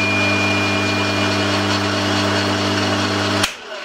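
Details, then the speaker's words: Bosch 2000 HP AXT garden shredder, about 10 years old, running in reverse after capacitor replacement fixed random-direction fault; steady constant-pitch motor hum for about three seconds, different noise going backwards, then clean cut-off. "Oh, that's fixed it. Yeah, making a different noise going backwards."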